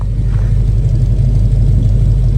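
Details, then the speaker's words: 1972 GMC Jimmy V8 idling after new exhaust and lift: deep, mellow, steady burble, not too loud or quiet, no puffing or ticking; normal note, though a small leak from a cracked front manifold (ram horn) is noted. "Nice and mellow. You still hear it's a V8. Not too loud, not too quiet, though."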